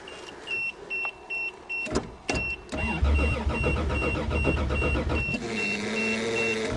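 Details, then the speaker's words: Toyota Cressida in snowy December cold: starter grinds the engine over in repeated bursts that never catch, a crank-but-no-start; gas in tank, owner suspects water and ice in the fuel lines, not confirmed. "I think we got ice in the fuel lines because water gets in there. Oh well, the Cressida don't start."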